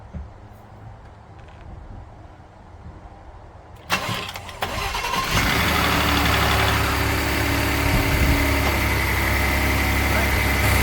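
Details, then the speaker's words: Ford F-150 with a weak battery, jump-started with a 4000 A jump starter: quiet, then a brief crank, and the engine catches at once into a smooth, even idle with no misses. Normal start and idle. "so there you go, easy peasy for the GOOLOO A5, 4000 amperes. My truck F-150, it starts like right away."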